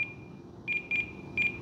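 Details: Eachine F-18 50mm EDF jet transmitter at the flying field in cold weather: high-pitched electronic beeps in short irregular bursts over a faint steady tone. It is a timer alert tied to the throttle threshold, and it stopped after entering the model menu.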